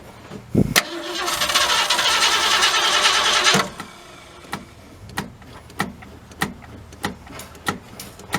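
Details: 1967 Ford Galaxie 500, 289 V8 with two-barrel carb, first start attempt after 25 years: steady starter cranking for about three seconds with no catch or firing; fuel delivery suspected.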